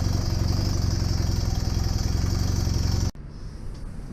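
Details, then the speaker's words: Honda Superdream (Hawk) twin project bike, rebuilt engine started on its own battery, charging confirmed, airbox not fitted: fast, slightly ragged idle with open intake hiss, then cuts off; owner expects better running with the airbox attached. "sure it'll sound better and run better when it's got its air box attached"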